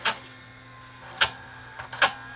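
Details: Sony SLV675 VHS VCR loading a cassette: sharp irregular clicks, about four in under three seconds, over a faint motor hum as the cracked, previously glued motor gear slips and skips teeth.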